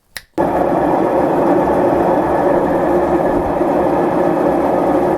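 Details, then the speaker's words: Clothes dryer (called a washing machine in speech) running before a belt replacement and tune-up: a loud steady drone with a rough, scratchy edge while the drum turns. The belt is cracked but not squeaking; the noise cause is not yet found. "that noise you just heard is what this guy's making when he's running"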